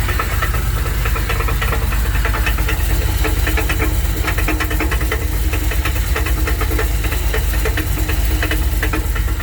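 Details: 1984 Dodge D150 with a 360 small block V8 at idle, banging began after a 5-hour road trip; exhaust ruled out, good oil pressure; rough, uneven banging about three times a second under a deep rumble; loose torque converter bolts.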